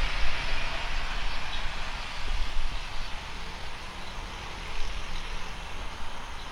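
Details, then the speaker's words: Speedybee Mario 5 DC FPV drone, Axisflying 2207.5 1960KV motors, T-Motor 5146 three-blade props, gentle test flight after repairing motors that would not spin: steady, even whirr through the flight, no stutter or cutting out; motors running normally. "Sekarang coba terbang aja dulu mastiin motornya enggak ada masalah ya karena penyakit awal ini dikirim ke saya penyebabnya karena motornya enggak muter."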